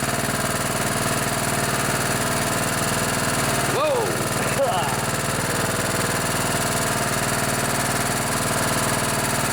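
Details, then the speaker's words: Craftsman LT1000 riding mower, 16 hp Kohler Command OHV engine, barn-stored long, after carburetor clean and fuel filter: smoking a bit, steady even single-cylinder chug with no misses or knocks; normal running. "let's fire this baby up so she's smoking a bit that's all right hasn't been ran in quite a while"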